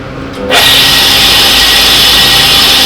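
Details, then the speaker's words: Tool and cutter grinder after strip-down, cleaning and spindle bearing lubrication: switches on and settles into a steady, even high-pitched hum with no rumble or knocking, running at about a third of its former volume. "probably running at about 1 C the volume it was before and uh I'm quite happy with what is"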